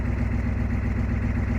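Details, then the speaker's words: 1988 Ford F-250 6.9 IDI diesel after cleaning terminal block and tightening old positive battery cable to fix no-start: low, even diesel clatter on fast idle settling to steady idle, regular firing, no misses or knocks; easy start; normal idle. "You got to love the old IDI rumbling. It's popping along like that. That's that fast idle fit."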